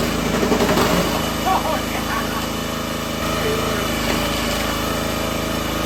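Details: Brand-new minibike single-cylinder engine repowering a $200 log splitter: steady governed buzz under the splitter's light load, no misses or surging; runs and splits well.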